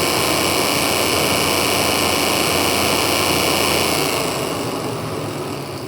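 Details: VW MK8 GTI radiator fan, recorded through the front grille. A steady, hissy fan rush with a thin buzzing edge starts, then fades. Owner suspects tree leaves in the fan area. Unsolved.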